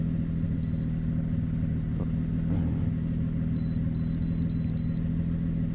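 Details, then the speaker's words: 2007 Ford Edge SEL AWD 3.5L idling after the cylinder 6 fuel injector was replaced and the open-circuit code was cleared. Steady, even low idle with no misses, knocks or surges; no check engine light, and a later 6-mile drive was fine. "So it was the injector, no other issues. Check engine light stayed off and it ran smooth as it always does."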